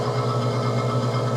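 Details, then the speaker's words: Manitowoc undercounter ice machine (no ice, red wrench fault): loud rough motor hum with fast pulsing flutter from a failing fan motor not spinning properly, causing high head pressure and compressor shutoff; fan to be replaced. "Immediately after I turned it on and the unit started, I could tell that it's making a loud noise as you can hear. The One of the fans are not spinning."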